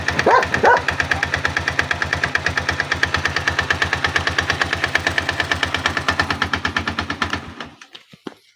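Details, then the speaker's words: 162FMG-G single-cylinder engine: loud, rapid, even knock about eight beats a second that stops when the engine dies; source unknown, knocking quieter when the machine is tilted to one side. "И непонятно, где он идет. Откуда стук? На ту сторону наклонил, потише тарабанит."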